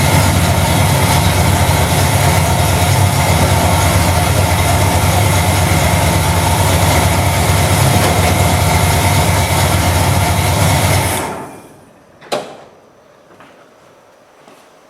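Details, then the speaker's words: Chevy 350 V8 with TH350 after an engine refresh and distributor reinstall, running again. It holds an even, steady low-rumble idle for about eleven seconds, then shuts down cleanly; the smoke is oil burning off the headers. Healthy. "But boy, it's good to hear it running again. My goodness. It really, really is."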